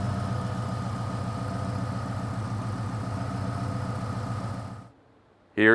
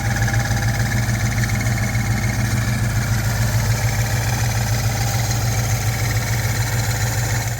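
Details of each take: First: 2000 Ford Explorer XLT 5.0 V8 with Meziere WP374 electric water pump, after replacing idler assembly with cracked retainer plate: steady smooth idle, no rubbing, knocking or squeal from pump area; faint metallic rattle is from the faulty AC compressor. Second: 2000 Ford Explorer XLT 5.0 V8 idling, Meziere WP374 electric water pump: rhythmic rattling chirp about three times a second from wobbling idler; cracked idler retainer plate caused play at bushing after bushing replacement; fix: replace idler assembly.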